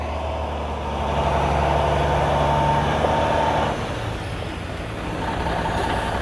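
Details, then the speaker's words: Heavy truck with new remanufactured Cummins N14 diesel pulling out under heavy load, recorded on phone: deep, even drone, no knocks, misses or rattles; healthy engine under load. "Oh yeah? Oh, Stevey is tight. There you go, Stevey, that'll get her. Putting that new motor through his paces."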